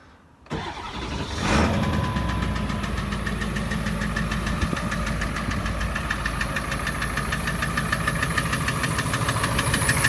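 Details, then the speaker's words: Ford 7.3 Power Stroke diesel starting and idling: a sharp, regular knock about three per second through the clatter. It stops when the #4 injector is pulled and stays on #4 after swapping injectors 2 and 4 (Full Force stage 1.5s, 6,000 miles); injector knock suspected. "I put a cocktail of Marvel Mystery Oil and a bunch of Hot Shot Stiction Eliminator in it because some of my friends are saying that it is injector knock."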